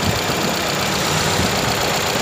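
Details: Toyota Corolla 5A engine idling after overhaul and oil check; steady, even idle with a busy but uniform mechanical clatter and no knock rising out of it; engine sounds fine, healthy.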